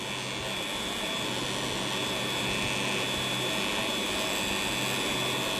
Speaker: แต่ทำงานได้ปกตินะเออหม้อแปลงมันน่าจะหลวมหรืออะไรสักอย่างนึงนะครับหม้อแปลงมีเสียงดังค่อนข้างแรงเลยทีเดียวอ่ะถ้าหวัดต่ำๆถ้าหวัดต่ำไม่ดังเนาะจะดังที่หวัดสูงๆนะครับ